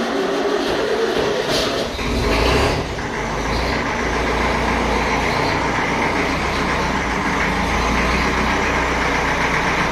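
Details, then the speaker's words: 1954 Ferguson TEF 20 diesel tractor, cold start without heat after sitting 10–12 days in a not-cold shed: brief cranking, then catches and settles into a steady low rumble with no misfire; a good clean start. "There we go. That was a good start for that one."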